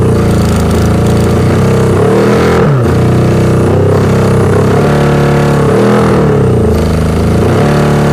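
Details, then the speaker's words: 1982 Yamaha 550 four-cylinder, unrun for about four years, after mild carb cleaning and wiring rework, first start: a steady idle that rises and falls smoothly with throttle blips, no misfire; runs normally. "my 1982 Yamaha 550 first day working on it got it to start"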